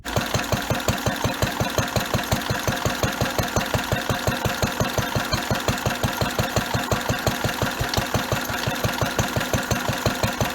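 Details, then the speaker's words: Barn-find Lister D petrol engine on a trolley, run after refitting its factory pulley; owner suspects removing the pulley had unbalanced it and caused the vibration: steady even thumping about three beats a second with a knock each stroke, unclear whether shake is gone. "now what i just need to do is fire it up again because i have the theory that actually was maybe a bit out of balance because it it's been from the factory with the pulley and taking that pulley out might have caused a bit of imbalance"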